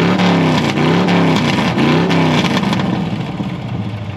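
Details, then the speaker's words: 1970 GMC half-ton pickup V8 shop truck, fall weather, barely muffled cherry-bomb-style exhaust with small mufflers off headers: loud throaty lumpy beat, quick rev swells back to steady rumble; normal idle, loud open exhaust. "he's got a still exhaust with some sort of uh i don't know cherry bomb is not muffled on it it doesn't go all the way back under here"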